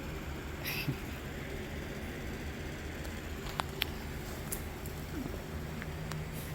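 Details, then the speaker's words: 1964 Ford Thunderbird V8 after brief running with lifters now pumped up: quiet, steady low rumble with even beat, no misses or knocking; idles smooth for the first time, likely having been down one cylinder before. "our lifters are pumped up things sound better and it idle smooth oh it idles smooth it's never idled smooth probably because it's been down one cylinder the whole time"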